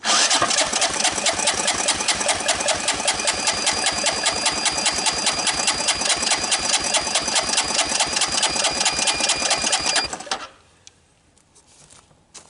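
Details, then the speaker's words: 1983 Honda ATC200E, long unused barn find with a partially seized motor freed up, wet compression test after oiling the cylinder: even, unlabored starter cranking at just over two compression strokes per second; reaches 120 psi, healthy for this engine. "So we're up to 120. Considering this thing hasn't run in a long time, that's really pretty good."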